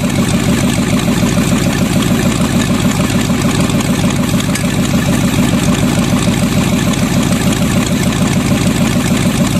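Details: Freshly bought used Chevy 350 small-block V8 on an engine stand, running much better after number three plug work: deep steady idle rumble, even pulses, no misses or knocks, all eight firing; smokes a little.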